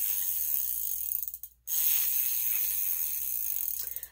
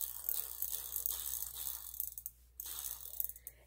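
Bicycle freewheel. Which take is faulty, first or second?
first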